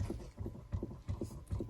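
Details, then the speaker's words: 2018 Chrysler Pacifica, engine off, front passenger door open: constant soft regular thumping about 2.5 per second from inside the passenger dash directly behind the glove box; failing HVAC recirculation door actuator motor flapping, to be replaced. "And again, we have a constant flapping sound coming from inside the passenger dash, basically directly behind the glove box."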